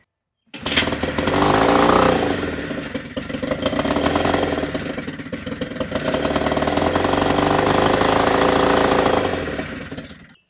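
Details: 1957 Lone Star Nassau boat's small outboard, in neutral with choke on, fires up and runs with a steady, busy, even buzz, no knocks or misses, throwing water out; sounds healthy.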